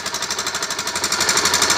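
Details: NS160 motorcycle engine run low on oil: fast, harsh, jackhammer-like metallic clatter over the running engine, noisy engine damaged by oil starvation.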